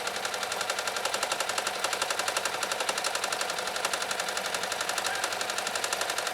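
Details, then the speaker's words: Riccar 2925 sewing machine sewing decorative stitch number nine; even, quick needle ticking at about four strokes a second with no knocks or hesitation, described as silky smooth: normal running. "listen closely for just how silky smooth Maria's Rick or 2925 runs it's just it's it's it's it's magical"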